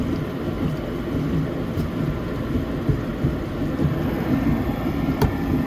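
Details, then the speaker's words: Rheem 90%+ gas furnace that is not heating properly, just kicked on: irregular low gurgling and throbbing over a steady blower rumble. Condensate is accumulating in badly installed vent and drain piping. "hear the condensate"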